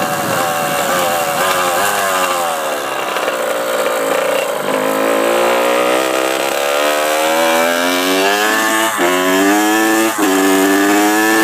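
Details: Honda CR85R two-stroke revs up slowly and levels off at a steady drone with no powerband; the owner also reports ticking noises and antifreeze leaking out.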